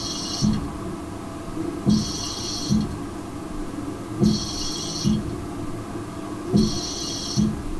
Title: Sounds like Darth Vader is living in my toilet (needs sound)